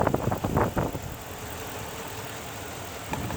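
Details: 2006 Dodge Ram 1500 4x4 5.7L Hemi after water pump replacement, no leaks; a few clattery knocks at start, then steady even low idle with no ticking or whine; normal idle.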